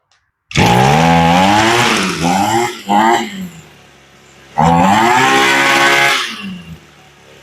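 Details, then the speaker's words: Echo SRM-225 two-stroke trimmer after a carburetor rebuild, choke off, revving up cleanly and dropping back to an idle that is set a little high. "Okay, she revs up a lot nicer. And notice the idle's a little high."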